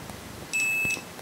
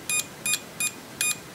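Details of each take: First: Lidl multimeter for about 10 €, continuity test after it auto-switched off and was turned back on, probes shorted: nothing at first, then a steady high beep of about half a second; beeps only if probes are held together, delayed response. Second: Multimeter with continuity and diode test on a combined range, probes shorted: four crisp high beeps in under two seconds in a quiet room; continuity beeper responding normally.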